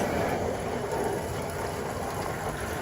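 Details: Magic Chef/RCA 3.0 liter washing machine after repair for E3 error (door shifted to one side, door switch failed): steady low churning rumble, even throughout, no knocks, scraping or grinding; running normally.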